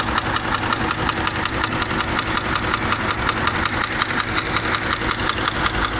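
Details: Subaru boxer engine at idle: sharp, regular metallic knocking about two per second over steady idle; owner weighing repair versus replacement engine, source not pinned down.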